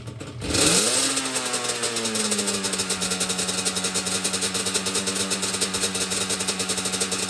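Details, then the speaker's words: Yamaha Banshee two-stroke after carb cleaning, rebuild and sync, air screws 1 turn out, both idle screws turned down about 1 turn: a quick blip falling back to an even, crisp idle with steady rapid pulses; normal rev and idle. "So I turn each idle screw down. Yeah, now She sounds a lot better."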